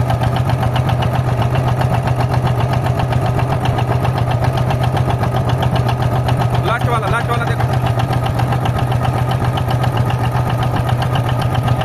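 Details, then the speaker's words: Six-injector diesel idling with a lumpy, uneven beat under a low drone; felt by hand with the engine running, three injectors stay cold and are dead while three run hot, so half the cylinders misfire. "ये तीन injector इसका सही काम कर रहे हैं और ये तीन इंजेक्टर एकदम खत्म है"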